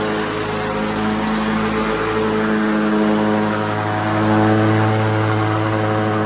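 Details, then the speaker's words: White LT1650 hydrostatic riding mower after deck and drive repair, hard-starting fixed: key starts it right up; smooth, steady, even drone with no misses, knocks or surging, quietest it has been. "well I'm sure on video it just sounds like screaming loud Mayhem but this is the quietest quietest it has ever been and that key fired right up"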